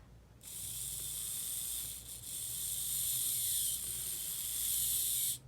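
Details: Unserviced 1980s Bachmann pancake-drive model locomotive with blue gears, still lubricated: smooth, steady high-pitched whir for about five seconds with no clicking or catching; gears meshing cleanly, none broken.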